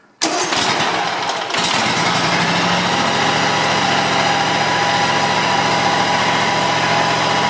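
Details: John Deere X320 mower, 260 hours, after PTO clutch bearing replacement and reconnecting clutch switch cable: starts on first crank and settles into steady even idle with no knocking or grinding; repair called semi-successful.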